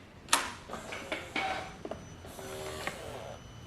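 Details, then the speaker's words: Motorcycle with a replaced starter relay fuse, no-power fault, kill switch set to run, key on for fuel priming, starter disconnected: short whirring servo sweep and faint electronics buzz after key-on; normal priming. "that's the the signing here is a Servo whip not moving around and that buzz noise is from the electronics"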